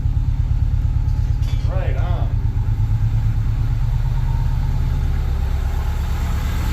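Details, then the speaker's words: Subaru 2.5RS rebuilt engine, first start after reinstall, idling to get some temperature in before shutdown: smooth, even low rumble, no knocking, ticking or misses; sounds really good, normal idle. "sounds really good nice that is awesome I'm just going to let get a little temperature in at the first time here before we shut her off"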